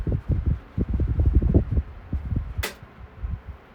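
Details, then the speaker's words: 1978-79 Galaxy table fan at full power while oscillating; soft fluttering air gusts in waves, no rattle or grinding; some bearing play heard only at switch-on, then settles; normal running. "So it seemed like it just have like some play in the bearings when you first turn it on, but after that it gets okay."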